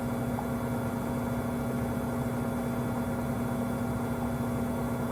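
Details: Samsung 2023 WW25B6900AW/A2 front-load washer, 5 months old, buzzing since the first month: steady loud hum with a strong mid-pitched buzz around 70 dB, louder when there's no water to drain, quieter hum while draining; cause unknown.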